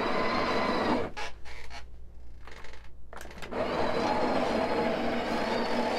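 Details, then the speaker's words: Coffee grinder grinding espresso at setting six; motor whirs then sags into a strained uneven churn and recovers, owner calls it a little struggle from age: motor labouring under load. "all right can you guys hear that little struggle okay this machine has been through a lot over the years so but still works"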